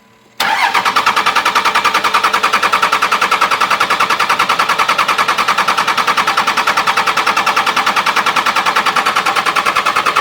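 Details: 2001 Dodge Cummins 24-valve with VP44 injection pump, after injector upgrade with lines loosened to bleed: steady, even starter cranking about three turns a second without catching; extended cranking to purge air from the fuel lines.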